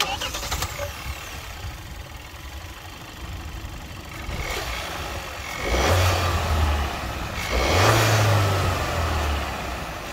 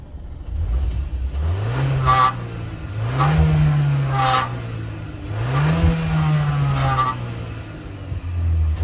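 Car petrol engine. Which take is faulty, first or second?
second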